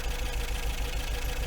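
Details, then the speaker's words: 1980 MGB after a roadside breakdown, newly fitted distributor cap, rotor, leads and plugs, warming up: a rough, uneven idle with a stumbling, knocking beat as if a cylinder keeps missing; owner suspects a 12-volt coil on the 6-volt ballast wire. "and uh I would say that is a very poorest fire to be honest with you"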